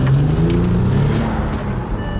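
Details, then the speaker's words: Bentley twelve-cylinder (about 570 PS), running on all 12 cylinders again after a control-unit fault was found: deep, strong exhaust note pulling hard under acceleration with a steady rising drone and no stumbles or misfires; full power. "Alter was ist denn los das ist H ein Biest richtiger Sportwagen auf [Musik] einmal Alter kann mich hier gar nicht halten vor Leistung"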